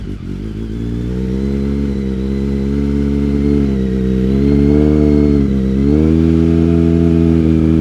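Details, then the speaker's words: BMW K1200R Sport after new spark plugs, booster plug, final drive fluid and vacuum coolant purge: revs smoothly with even steady firing, no longer the earlier misfire-like sound. "that's idling better it's running better that always used to sound like it was misfiring before I'm not getting that misfire sound"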